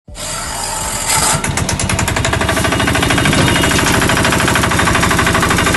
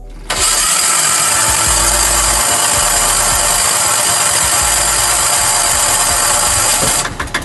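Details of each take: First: Bajaj auto rickshaw (three-wheeler) small engine, changed sound: loud, rapid, uneven clatter over a harsh, rattly running note, traced to a blown head gasket (head packing). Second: Bajaj auto-rickshaw diesel engine after head gasket replacement: loud rush on start, then an even, steady chugging idle with no knock; sound now better than before. Normal idle.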